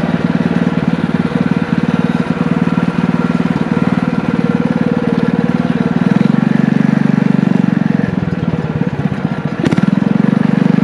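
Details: Single-cylinder engine from an old power washer, with a muffler and a 6.5 HP torque converter clutch, on a trike: steady putter with a firm low thump, no knocks or misses; normal running under load.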